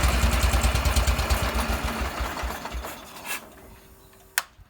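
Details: Wheel Horse garden tractor with a new electric fuel pump, run on a cold, snowy day. Even single-cylinder thumping, about three beats a second, eases off smoothly and fades out without stumbling; the engine runs sweet.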